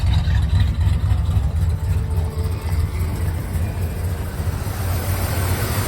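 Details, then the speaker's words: 1971 Buick Riviera 455 V8, heard at rear by mufflers: deep rumbling lumpy idle with dropped exhaust pulses; missing badly, cause unknown, engine to be replaced with one with 60k. "there she is it does run it's just not it's not perfect as you can hear back here it's looking pretty bad so she's definitely definitely missing"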